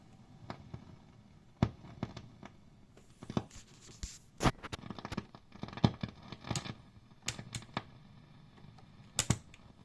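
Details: Grand Meister 40 guitar amp on the clean channel: random sharp popping and crackling over a low hum as soon as the master volume is turned; swapping JJ, stock and matched-pair tubes didn't help.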